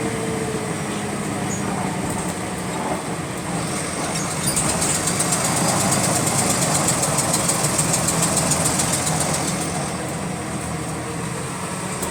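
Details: GAL WVL358 bus on route 486: rapid light clicks over the diesel, speeding up as revs rise and easing as they drop; clicking in sync with engine speed, cause unknown.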